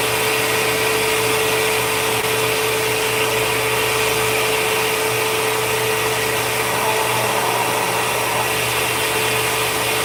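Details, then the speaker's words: Vacuum cleaner, plate off, running for a tissue suction test: even, steady high-pitched motor whine with constant airflow hiss, no surging; suction seems fine, motor sounds normal. "I don't know. Suction seems fine."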